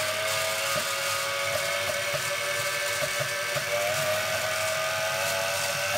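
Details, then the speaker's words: Washing machine motor on a TDA1085C speed controller driving a grindstone with a heavy flywheel through a large belt reduction, speed turned up: steady high squeal over the motor hum under load; the drive belt slips because the motor delivers too much power. "it's skipping a bit that belt is skipping there motor can deliver too much power"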